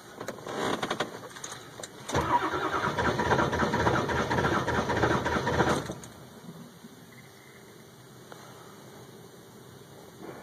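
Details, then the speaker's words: 2002 Ford F350 7.3 Powerstroke cold start at about 34°F, new glow plug relays, glow plugs warmed two to three minutes: starter turns evenly about four seconds but never fires; cranking no-start. "it I still can't get it to do anything you know the glow plug should have heated up by now"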